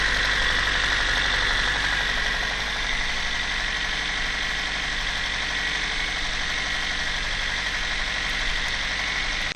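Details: Toyota 1ZZ-FE engine at a steady idle with a hard, regular knock about four times a second riding over the engine note; internal engine knock.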